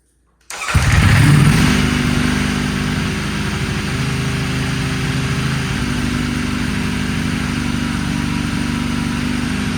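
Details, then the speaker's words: Salvage Ducati Panigale V4S first start after throttle wiring fix, error message showing: catches instantly, flares, settles into steady even lumpy idle, no knocks or misses; some smoke, suspected old oil burning off; runs normally. "this thing sounds good we got a little bit of smoke though uh I think some of the old oil and stuff that's on the motor is burning off"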